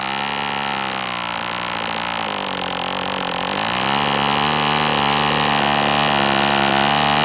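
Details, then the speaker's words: MDS 68 FS Pro four-stroke glow model engine, end of first break-in run, tach monitored. High buzzing note sags for a couple of seconds then climbs back, cutting out. Owner unsure rich or lean, believes not lean given heavy smoke. "It's interesting that it's just shutting down like that. I don't believe it's too lean at all. There's a nice plume of smoke coming out."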